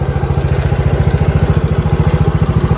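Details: Yamaha Mio J/Mio GT scooter after an engine overhaul for severe ticking from the front of the engine: fuel pump and injector found fine. Steady, even single-cylinder idle at about ten pulses a second with no misses; healthy.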